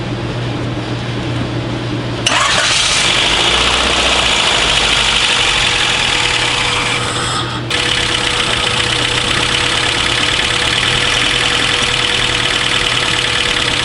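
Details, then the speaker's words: Honda Del Sol after swap to a replacement B16 engine, first start after cranking to build oil pressure, timing off: catches after two seconds into a busy, slightly uneven idle with a faint stumble; owner suspects a missing cylinder or fouled plug. "so it did start right up that's a good thing it's running a little rough it actually sounds like it might be missing a cylinder"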